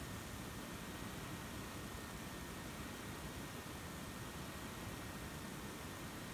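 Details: HP EliteBook 840 G5 laptop plugged into power: soft airflow hiss with a thin steady high-pitched whine throughout; fan quiet on battery but whines when plugged in.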